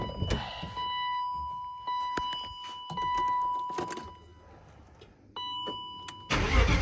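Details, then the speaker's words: BMW E36 318i swapped from four-cylinder to M50 engine, start with unfinished exhaust lacking hangers: cranks briefly and catches right away, then idles loud and uneven through the open exhaust with no knock, warning chime beeping; normal start. "Doesn't sound too bad considering the exhaust that we Hey."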